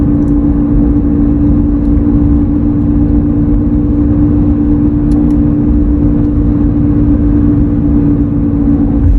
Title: Humming noise is present on this 2003 F 150